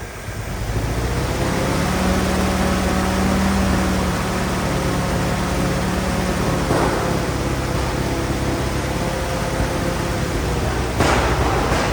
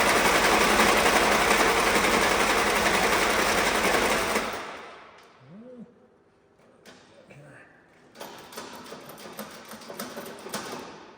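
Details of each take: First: Old Willys Jeep four-cylinder that sat for years, revived, with the mixture adjusted. It ticks over at a steady, even idle with no misses or knocks; normal idle. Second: Old Willys Jeep that had been sitting, cranked after the electric fuel pump was switched on and fuel reached the filter, with the pedal pumped. Steady, rapid starter churn for about four seconds without firing; cranks, no start.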